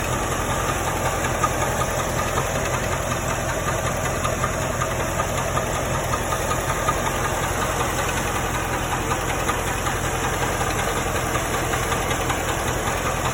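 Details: 1995 Chevrolet Corvette at idle: steady idle with uneven knock roughly two to three a second; engine knocking, source unclear.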